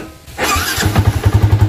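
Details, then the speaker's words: Yamaha Vixion with lost compression and MIL blinking code 21, after head work, oil and radiator coolant refilled: quick start, steady even thump around eight a second with no bubbles in the radiator; normal start and idle, no head gasket leak. "Halus bos Oke bos jadi kalau nggak ada letupan-letupan di daerah radiatornya itu berarti motornya ini normal"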